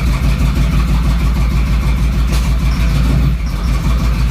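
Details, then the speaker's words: Third-gen Camaro run with a spark controller plugged in: heavy, lumpy idle with uneven stumbling beats, sounding badly out of time; misfire. "this thing sounds like it's terribly out of time man that's awful"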